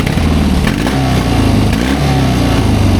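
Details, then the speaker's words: 1972 Triumph 650 Bonneville twin, revived after sitting since about 1984, with two new spark plugs fitted; steady, even idle with a smooth low beat and no stumbling or hunting, sounding much better once the choke is off. Normal idle. "Yeah, that sounds a lot better now that the choke's off."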